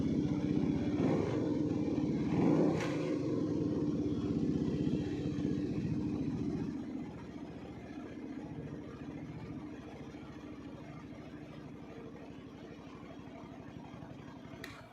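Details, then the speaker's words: Kawasaki W250 single-cylinder motorcycle with an aftermarket exhaust and a decibel killer inside the silencer. Soft, even thumping rises with the throttle, then settles and cuts off. It is a normal, healthy single at idle and on the rev, kept quiet at the owner's request. "Jadi suaranya emang nggak terlalu keras banget karena sang pemilik memang menginginkan motor ini tetap bersuara lembut, hanya tampilannya sedikit lebih bagus."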